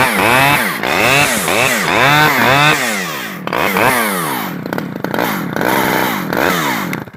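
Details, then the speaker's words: Stihl 011AV chainsaw surging up and dropping back, never holding a steady rev. The low-speed screw was turned all the way in with little adjustment left, so limiters are probably fitted; it runs poorly. "nope well I mean it fires up and it does in fact run"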